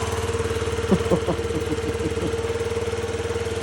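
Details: 50cc Yamaha Vino scooter after repair with new battery and injector solenoid reconnected: smooth, even putter about two and a half beats a second, steady hum, no misses; healthy idle.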